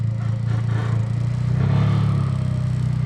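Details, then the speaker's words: Acura RSX Type S turning one direction: low rumble with uneven scraping clatter, a really big noise while turning; owner suspects steering rack, unsure. "I think is the steering rack I don't know if you guys can hear this but whenever I turn the car this way it makes a really really big noise"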